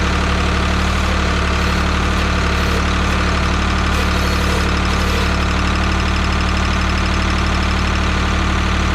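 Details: 1985 Ford 545A backhoe, 3-cylinder Ford diesel, cold start after rebuilt injector pump installed: steady low chug about 200 beats a minute, no knock or miss; runs good but hydraulic pump very slow; normal idle.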